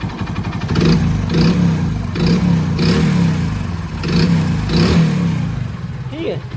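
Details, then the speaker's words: Hero HF Deluxe single-cylinder bike revved repeatedly: rough rattly sound; crankshaft problem, crank bearing rattle, before engine teardown and repair. "इसमें से खड़खड़ाहट की आवाज आ रही है।"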